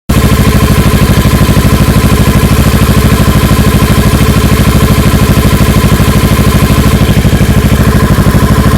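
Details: Kawasaki Ninja 650R twin idling with a low thump about three times a second that wavers after a rev; owner unsure whether this hunting idle is normal.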